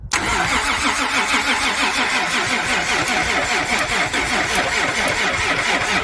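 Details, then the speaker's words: First start of a rebuilt 3VZ-E V6 in a 1992 Toyota pickup, filled with break-in oil. A brief crank, then it catches and settles into a steady, even idle with valvetrain ticking; a healthy start. "okay okay here's the first startup on this rebuilt motor for this Toyota pickup"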